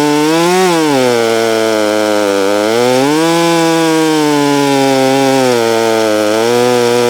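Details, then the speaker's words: Holztfforma G660 chainsaw milling, previously losing power at top-end rpm, warming up: strong steady scream dipping slightly in the cut and recovering, holding power where it couldn't before; low-speed screw may need adjusting. "I'm pretty happy to see that. Still idling down. Before I couldn't, I wouldn't be able to stay in that cut like that."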